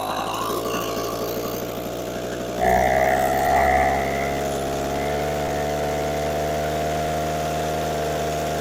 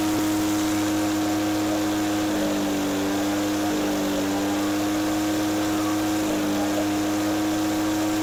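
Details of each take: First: Echo PB413H two-stroke backpack blower with new aftermarket carburetor, first start at mid throttle with choke on and primer primed: starts and settles into a steady, even buzz after a throttle blip; runs cleanly. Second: Echo PB413H two-stroke backpack blower on a new aftermarket Chinese carburetor with limited high-speed adjustment; steady high-speed drone with a burbling wobble instead of a clean scream; four-stroking, a touch rich, set deliberately rich rather than lean.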